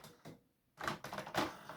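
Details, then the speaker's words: HP Photosmart 7260 inkjet printer (2003), after cleaning the ink residue area and reassembly: quiet whirring slides of the print carriage back and forth with soft clicks, returning to its original position; carriage travels freely as it should. "Yes, it slides. You see, that's what it should do. Slide back and forth a few times."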